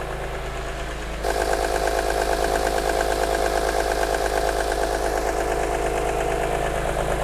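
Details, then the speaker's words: Wrecked 2006 BMW E46 M3, S54 engine, at start-up idle: loud steady high whine over the engine; suspected VANOS fault, not confirmed. "i hear it don't hear that whining and that loud it's so loud"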